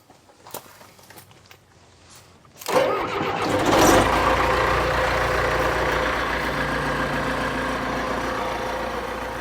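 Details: Circa 1991–92 John Deere 455G track loader, sitting unused: brief cranking, then the diesel catches with a loud surge and settles into a steady, even idle; engine starts after sitting.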